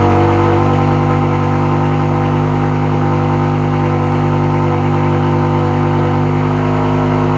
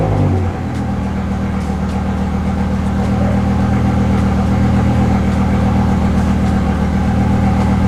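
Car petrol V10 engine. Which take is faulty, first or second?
second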